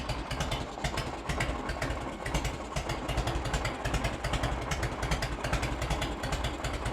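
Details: 1986 Harley-Davidson Heritage Softail, 29,000 original miles, idling just after its first start in over 10 years, with choke eased off: a steady, lumpy, low potato-potato beat at about 2.5 pulses a second; a healthy V-twin idle despite an oil leak from a hose.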